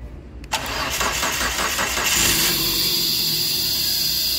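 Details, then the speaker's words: Dodge Neon that stopped starting after engine oil pressure switch replacement, starter relay bridged during diagnosis: quick cranking about three turns a second for under two seconds, then fires and settles into steady healthy idle; normal cranking and start. "lo acabo de encender él le dio marcha y yo existe el arranque con el power Pro apagalo"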